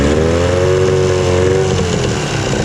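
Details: Evinrude 15 hp electric-start outboard, revived after sitting a year, loose hose clamp and bowl leak found: strong buzzy two-stroke note held at raised revs, steady and clean without misses; runs well.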